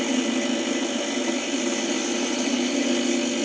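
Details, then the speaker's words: Vintage hand-cranked cream separator coasting down after cranking: even, dry whirring hiss from the internal gearing with no low rumble; gears suspected to need machine oil, not confirmed. "you can hear when I stop it it's still moving so the gear is inside sounds like it probably needs um some machine oil"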